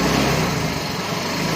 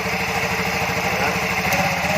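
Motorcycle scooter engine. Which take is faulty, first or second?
first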